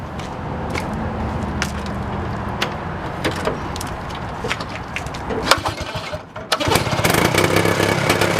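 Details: 1971 Moto Ski Capri two-stroke snowmobile after fabricating a new exhaust from tractor parts with a muffler: clicking, then it catches and runs loud and raspy but steady; quieter than a straight pipe; normal running.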